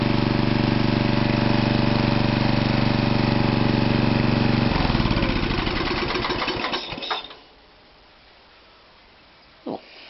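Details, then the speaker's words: Toro 832 ride-on mower after a new carburettor, started while not yet hot: small engine runs with a steady, even beat of about three and a half pulses a second, then shuts down cleanly. Previously loud and backfired through the exhaust; now healthy. "Not isn't that hot, but she started, didn't she? Start well."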